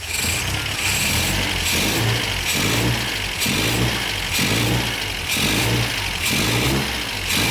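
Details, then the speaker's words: MGB during restoration, first idle on the new exhaust, header heat wrap smoking off: a steady even idle with a gentle once-a-second swell and no knocks or misses. Seems to idle perfectly, apparently exactly as before the work. "okay that is a major success the car is running beautifully and as far as i can tell it idles perfectly it sounds very very normal"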